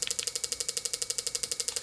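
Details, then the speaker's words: Crisp, even ticks about twelve per second from an injector driven on a Power Probe demo board, the tool light confirming a good injector signal from the PCM. "back probing into the injector circuit the tool is gonna respond like this this is now you're annoyed light telling you you're getting a good signal to the injector from the PCM"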